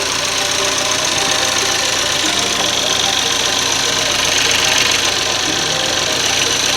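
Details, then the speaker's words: 2013 Chevy Equinox after replacing the high-pressure fuel pump, line and roller lifter per TSB: smooth idle with light even fuel-pump tick over steady hiss; cuts right off and runs fine. "i did that and cuts right off runs just fine"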